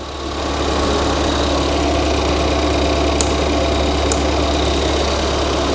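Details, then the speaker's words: Ford Fiesta ST, previously a non-runner, now running and driving on the ramp after key coding: smooth, steady, quiet low idle with an even hum and no knocks or ticks; normal idle. "let's have a look at that engine now with it running let's have a look oh it sounds good that sounds really quiet really quiet that's good"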